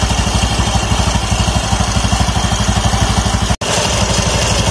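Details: Automatic scooter after its used CVT rollers were cleaned and reinstalled and the variator nut fully tightened: steady, even single-cylinder idle with no knocks, rattles or slipping; normal idle.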